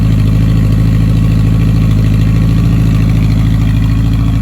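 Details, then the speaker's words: 1985 Honda Gold Wing GL1200, sat one to two months, idling around 1500 rpm on choke while warming: even low rumble with a slightly uneven pulse; still white smoke, smells like coolant, owner suspects head gasket; bad rings later confirmed. "And it's smoking less, but still smoking. It's white, and you almost feel like it smells a bit like coolant."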